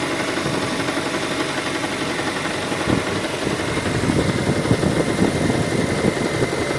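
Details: 2013 Kia Sorento, petrol: steady idle with a faint, fast light tapping over the engine note; engine knock present, cause not pinned down.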